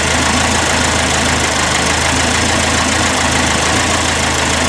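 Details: 1981 Alfa Romeo Spider Veloce idling after years in storage and fuel and ignition work; steady, even low rumble with no misses, revs dropping from over 1000 to about 800–850 rpm and smoothing as the distributor is turned counterclockwise to retard timing.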